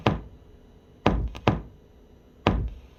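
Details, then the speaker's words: TNA Total Nuclear Annihilation CE pinball: four sharp speaker thumps at power-up, loudest from the two top speakers. Volume is set to level two and the amp sub was turned up slightly, but it has popped since day one; cause unknown. "but yes mine has always popped um a day or so later I did turn up the sub volume a little bit on the amp but it popped before that too"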